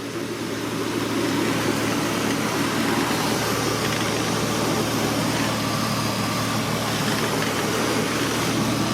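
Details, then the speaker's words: Honda Accord V6 after thermostat replacement and coolant refill: steady, even, quiet idle with a low constant hum, no ticks, knocks or surges, even with its exhaust; normal idle. "uh she's idling pretty good i mean it's real quiet even with that exhaust on it"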